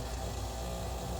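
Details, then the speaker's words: Red Dragon Bubble King 2000 skimmer pump, out of warranty, before repair: steady low hum with a rough, uneven rattling buzz, likely a loose impeller magnet rattling as it spins. "a quick short video to show you the sound this thing's making before I attempt to repair it."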